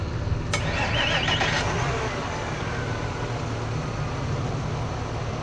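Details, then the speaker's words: Outboard engine after repair (JB Weld patch, under 20% leak-down before), on the water: steady even drone with no misses, knocks or stumbles; normal running. "after getting the boat in the water and testing everything out it seems to be running well"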